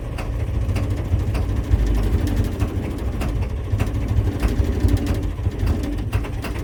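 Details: 1983 Ford F250 6.9L diesel, out of gear, just started after sitting 8 years and about two months of work: deep rumble with sharp injector clatter ticks settling into a steady run; running fine.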